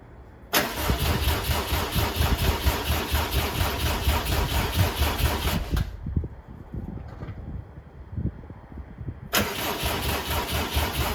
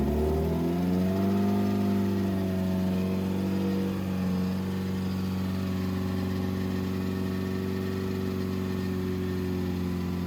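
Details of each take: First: 2007 Subaru WRX swapped to STi engine, first start-up after install, crankshaft sensor and fuel pump reconnected: starter churns in long bursts about two beats a second, never catches; crank no start. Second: 2007 Subaru WRX with STi engine swap, first official startup after install, run around 2500–3000 rpm for about 15 minutes to break in; steady, even fast-idle note with no knocks, misses or surges, smooth and healthy.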